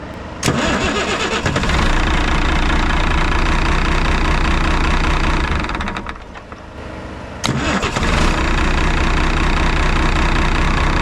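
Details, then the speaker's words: Semi truck diesel after fuel shutoff was rewired to the key: cranks and catches at once, settles into even clatter, shuts off cleanly, restarts promptly; key start and stop now work. "It's working. Awesome. Now you can start and stop the truck with the key."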